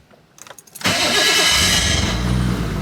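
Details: Nissan R34 GTR after owner-done wiring work for a new power level: a short fuel pump prime buzz, then a brief crank and the engine catches cleanly into a steady, even idle. A normal, healthy start.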